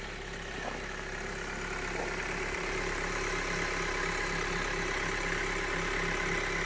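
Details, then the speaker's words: 2020 Datsun on-DO at −15 °C cold idle: quiet steady idle with faint even tapping about three beats a second, diesel-like knock; owner suspects hydraulic lifters (lash adjusters) knocking in frost, not confirmed. "И тут какой-то непонятный стук, как у дизельного автомобиля."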